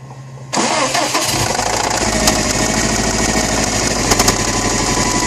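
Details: 2008 Subaru STI engine cranks, fires, then idles with a deep rhythmic rod knock from a worn connecting rod bearing; the engine was later rebuilt.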